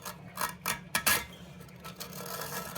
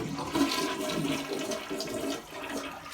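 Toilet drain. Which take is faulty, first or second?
first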